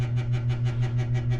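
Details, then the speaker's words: Overhead exterior light at a school entrance at night: steady low hum with a soft throb about six times a second; someone suggested a failing light ballast, and the sound seems to come from the light. "So, I'm still a little puzzled where this sound is coming from. Somebody suggested that it could be a ballast from a light such as that one."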